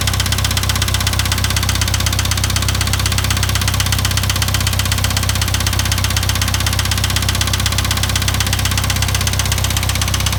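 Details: IH 2544 tractor at idle: a steady idle with a sharp, even knock about four times a second; the source of the knock is still not found.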